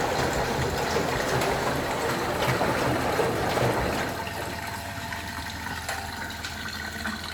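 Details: Lincoln Prestige washing machine, over 40 years old and new in its box, on its first test: a steady rush of water into the drum that eases to a gentle trickle, with no knocking or hum; a normal fill.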